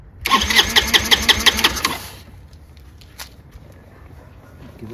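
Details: Chinese GY6 150cc scooter with new replacement carburetor, air cone just fitted: fast, steady cranking about three beats a second for two seconds, then quiet without catching; hard starting.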